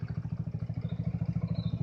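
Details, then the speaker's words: Hammerhead GTS 150 small single, freshly tuned up with a tach/hour meter added; even, low thumping at about twelve beats a second with no skips or rattles; idling smooth, hardly a miss. "And it's pretty well tuned up, ready to go. As you can hear how smooth it's running. Hardly a miss on it."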